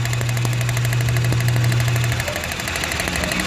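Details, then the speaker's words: Renault K4M engine (Nissan Platina/Clio 2) that starts then stalls, engine running with each ignition coil lifted in turn: sharp regular snapping ticks over the engine; strong spark, coil firing properly. "lower it again that sound indicates that if we have spark and that it is working well"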